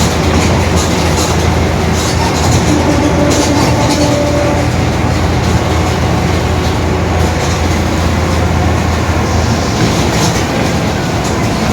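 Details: 2021 Marcopolo Torino S urban bus on Mercedes-Benz OF-1721 BlueTec 5 diesel chassis, extended length, recorded while cruising: steady low drone under road rumble with a faint hum on top, consistent with a growling differential.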